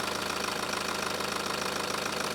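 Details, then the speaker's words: 2019 BMW 320d M Sport, 88,650 km, inline-4 diesel, 8-speed, idling with hood open: steady, even diesel clatter, quiet for a diesel, no missing beats, misfire or knocking; very good condition. "이 정도 소음이면 상태가 아주 좋다라고 보여집니다 당연히 엔진 부조 노킹 현상 전혀 없구요"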